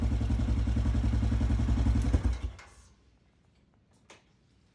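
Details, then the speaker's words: 2007 Yamaha Grizzly 700 that would not idle when warm, after valve adjustment and timing: the single cylinder thumps along evenly for two seconds and then shuts off cleanly, with no misses or knocks; it now runs fine. "just because i think this thing sounds awesome i'm gonna let you all listen to it"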